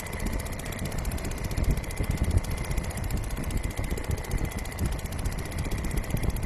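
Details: Restored old Seagull 40 Plus outboard running in the sea at the beach, pumping lots of water at raised revs (stops pumping at low revs): fast, even two-stroke buzz, no misses or knocks; normal running.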